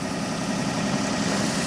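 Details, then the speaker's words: Tractor cold start at -25°C (-13°F) with snow in the exhaust pipe, cranked slowly: steady, slightly raised idle with even low rumble and no misses; healthy fast idle on warming cycle just after cold start. "oh look at that she started up pretty pretty good cranked pretty slow but the battery must be pretty good in this thing then"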